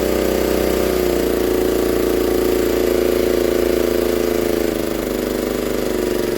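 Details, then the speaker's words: 1960s Honda ED250 DC-only generator, likely not run in years, just pull-started with choke then choke off: a steady, even buzzing drone with a firm, unchanging pitch and clean rhythm; normal running. "there we go all little Honda's running there we go there we go look at that"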